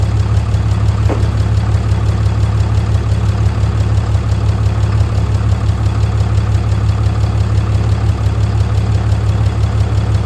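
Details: 6.7L fourth-gen diesel at idle just after a DIY valve adjustment: steady, even low clatter with no uneven knocks or misses. It runs smoothly, though the turbo actuator and grid heater still need fixing.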